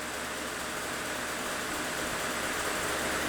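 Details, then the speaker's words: Used 52-inch Timesaver wide belt drum grinder model 2211-45-0, feed running, head at first speed around 10 amps motor load, microphone on speaker's chest: steady even quiet whirring hum, no knocks or surges; normal running. "Now you can hear the microphone's right here on my chest, so you can hear just how quiet this machine is."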